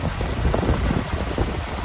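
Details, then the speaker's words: 1981 Land Rover Lightweight air-portable, 2.25 petrol, pancake air filter, showing 71,000 miles: deep, lumpy but even four-cylinder idle with a steady chug, no misfire, knock, hesitancy or overheating; starts on the button, mechanically healthy. "so I'm just going to take it down the road so you can see it actually going but yeah starts on the button no signs of any misfiring hesitancy or overheating gearbox is nice"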